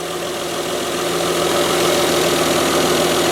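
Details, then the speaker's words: Mazda 626 at idle after the bad idler pulley, the other pulley and both drive belts were replaced (no automatic tensioner): a steady, even idle with a smooth low hum and no squeal, chirp or belt slap, much quieter than before. "yeah I mean wow just this this thing is running so much quieter than it did really"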